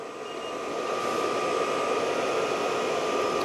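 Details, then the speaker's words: New Vevor diesel heater at first start: the dosing pump has stopped and the fan ramps up to a steady rush with a thin whine, blowing cold air. Still 13°C, no combustion; it then goes to SLP. Failing to light; cause not confirmed. "The pump has stopped, still on 13. Fan's really ramping up now. It's blowing cold air into the workshop, which is not a good thing."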